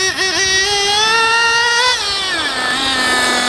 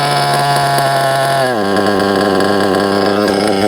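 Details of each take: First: JQ Products THERTR nitro engine during break-in, after closing the low-end needle another 1/8 turn and lowering idle: high, buzzy note climbs quickly and cleanly, then settles back without hesitation or bogging; low-end correctly tuned. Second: JQ Products THERTR nitro RC engine during break-in, after two tanks of idling: a high buzzy idle that sags and wavers, then a hesitant blip; low-end needle leaned too far, causing a bog on acceleration.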